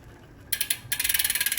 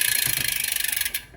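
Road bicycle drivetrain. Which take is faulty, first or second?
first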